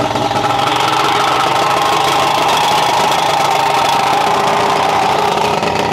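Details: 1991 Ranger bass boat, 1998 Mercury 200 EFI two-stroke outboard, first run after removing aftermarket parts, with reed stuffers still fitted and the oil pump rod fixed: steady, fairly even buzzing idle with no knocks or misses; a normal idle.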